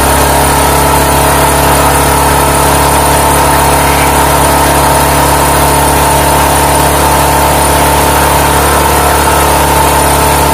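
Even, unbroken engine hum at constant speed for ten seconds with no surging or misses: generator running steadily on gas.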